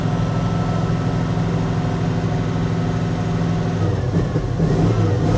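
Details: 1980 Dodge W200 with swapped Magnum 5.9L V8, cold start: uneven, loping idle with a regular stumble, rich exhaust smelling of gas; dead cylinder on the passenger side, with possibly worn heads.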